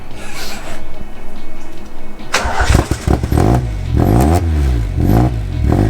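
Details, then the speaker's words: Fire-damaged car running on an ECU with an online base map being tweaked: deep, even rumble picking up and settling smoothly under background music; runs clean and healthy. "it sounds sick oh that sounds so good good job said you're a genius"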